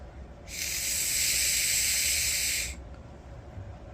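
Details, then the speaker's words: Five-second blow test on a surging generator's carburetor: a steady two-second airy hiss as air flows freely through the primary jet with both lines pinched, showing the needle seat is clear. "if you pinch both of these and you blow you should hear it coming through the primary jet inside the carburetor so pinch pinch blow Okay so I know that my needle seat is clear"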